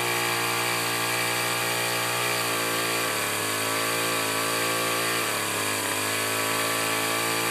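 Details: Two-stroke weed trimmer, primed, started on full choke, runs poorly despite carb adjustments: buzzy note wavers and sags instead of holding steady; uneven running from leaking fuel cap.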